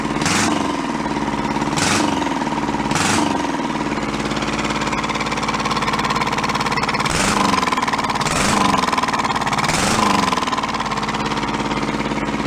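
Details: Junked small Kubota diesel engine saved from a scrapyard, restarted after swapping backwards throttle and shut-off solenoid wires: steady clatter with an even beat and a few brief sharp bursts; running properly.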